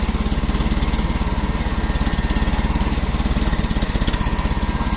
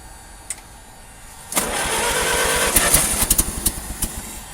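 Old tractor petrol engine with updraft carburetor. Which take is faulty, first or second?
second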